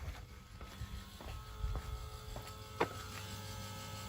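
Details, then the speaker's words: Ford Excursion with 600 hp 6.0 Powerstroke crate engine, key on, not starting: quiet, steady electric whir with faint clicks as the fuel pump runs normally; PCM not communicating due to a suspected wiring harness fault. "Fuel pump is running."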